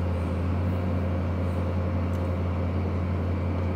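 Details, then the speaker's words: Range Rover L322 4.4 TDV8 after height sensor replacement, self-levelling to normal road height with the rear boot floor removed; the air suspension compressor raising the rear gives a steady, even low hum without surges or rattles, sounding healthy. "hear the compressor running in the back because i've got the um the rear boot floor taken out"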